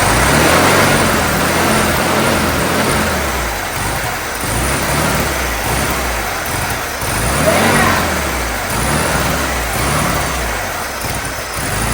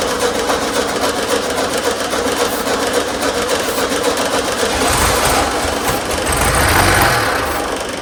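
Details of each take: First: 1972 VW Super Beetle air-cooled engine, first run after 30 years in storage, choke and throttle held open: catches and keeps running, surging about twice a second as it feeds on sprayed fuel, with no knocking or grinding. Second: 1972 VW Super Beetle air-cooled engine during no-start troubleshooting: the starter churns at an even fast beat throughout, but the engine never fires. It cranks without starting; they check carburetor fuel delivery and consider swapping in an old carburetor.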